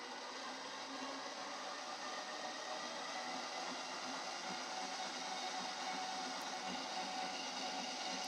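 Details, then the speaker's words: Ooni Halo Pro spiral mixer, second replacement unit, running empty with no dough: steady motor whir with a thin whine fading in and out inside the housing. Owner suspects the belts; cause unconfirmed. "There's a noise inside that. An odd noise. Now, to me, that sounds very much like the belts."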